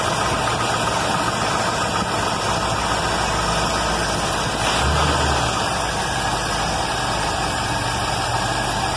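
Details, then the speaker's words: Carbureted V8 car back running after a year, with the starter rebuilt using donor brushes and the carb sorted; while warming up it holds a steady, slightly lumpy idle. Owner thinks it needs fuel mixture adjustment and has a choke not opening fully. "cars warming up actually have it down to an idle that you can read on the gate slightly Wow it's running"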